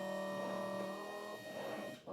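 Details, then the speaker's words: V5 PRO SMT pick and place machine powered up running a placement simulation with no components fed: quiet steady vacuum pump hum with soft motor whine as the head moves; errors only from missing components, machine working normally. "Yeah, that's fine. So, that means it is working. You can hear the pump also going as well."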